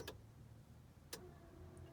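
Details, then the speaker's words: Ferrari 308 pop-up headlights, fixed by reconnecting a broken solder joint at the dash stalk: a click, then a low steady motor hum with a faint rising whir and another click; headlight motors running normally. "Now if you watch what I do, or you can hear, you'll hear all the motors go."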